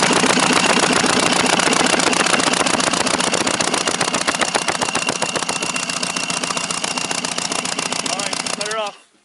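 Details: 1999 Mercury Force 120 hp outboard cranked with the head off: a fast, choppy, uneven, lopsided cranking rhythm. It has lost compression and performance, and the lower (#4) piston and cylinder are trashed.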